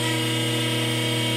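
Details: Parker hydraulic trainer, primed gear pump with relief valve set, system at 100 psi before any cavitation test: steady, even whine over a constant low hum, no rattle or crackle; pump running normally.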